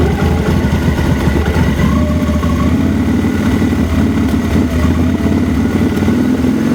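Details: 2000 Victory V92SC V-twin: uneven, lumpy idle with the beat wandering and loping instead of holding steady, close to stalling; rough idle with stall problem.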